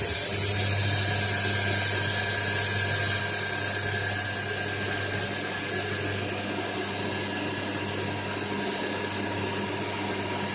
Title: QP 2440L Spindle Running Abnormal Sound